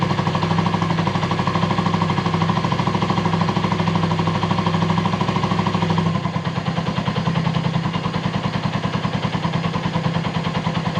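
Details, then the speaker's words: Volty motorcycle, started after a long lay-up with a new battery: single-cylinder idle putters at an even beat, about three pulses per second, with no misses or knocking; healthy idle. "Well it turns on perfectly despite the time that has passed, the idle is fine"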